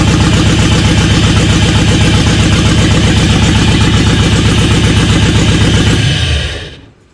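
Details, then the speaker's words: LS-swapped GMC K10 truck, not firing on cylinders 2, 3, 5, 8; loud lumpy stumbling V8 that sags and shuts off; owners doubt a plug causes the bog and suspect TPS or MAP sensor or drive-by-wire throttle. "but that plug wouldn't make it bog like that yeah that's nice that's like a TPS or map sensor"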